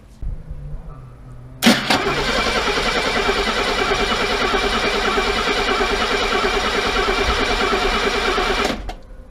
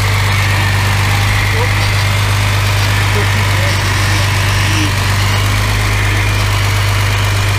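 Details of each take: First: Mercedes W114 with freshened engine just refitted, first start attempt, headers cold, in park: steady fast cranking, pause, crank again, never catching; no fuel smell at exhaust, a wire later found disconnected. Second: Mercedes W114 freshened engine, official first start: steady even low idle hum with constant tone, no misses or knocks; settling into healthy idle with no smoke.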